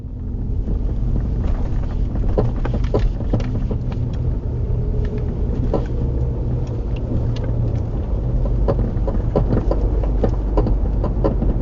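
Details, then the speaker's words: Nissan Murano, passenger-side rear clunking at crawling speed, heard more at low speeds than on freeway, mic in the back: low road rumble with scattered light clunks and creaks, worse when car is rocked; worn rear upper shock mount. "But it's just a little clunking, creaking sound, I should say, maybe."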